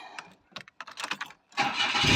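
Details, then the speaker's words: 2003/04 Daewoo Matiz (Chevrolet Spark) at startup before the muffler tape repair: the engine fires into a loud, harsh, raspy roar. Holes are blown through the muffler and old flex tape; owner suspects the exhaust overheated after the water pump failed. "I suspect the exhaust got too hot and it blew holes through there"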